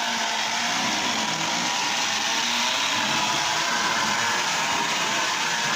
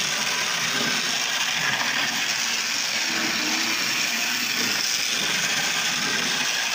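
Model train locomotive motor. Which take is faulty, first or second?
first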